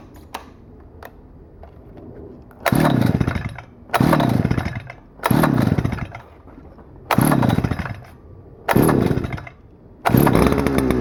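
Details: Stihl FS-250R 40cc two-stroke trimmer after carb rebuild kit, 50:1 ethanol-free fuel, setting high-speed screw at full throttle: snaps cleanly to full throttle in repeated bursts, even high scream, revs very high; normal full-throttle run.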